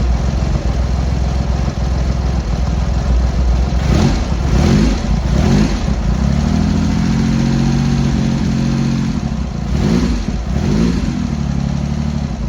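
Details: Triumph Hurricane X75 triple with rebuilt carb rack just refitted, first start after priming and half choke: low, even idle on all three cylinders with gentle throttle blips, no misses; very smooth at tick-over, throttle stop screw not yet set.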